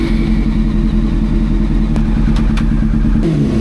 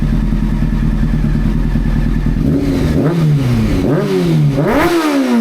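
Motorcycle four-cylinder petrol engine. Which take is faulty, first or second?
first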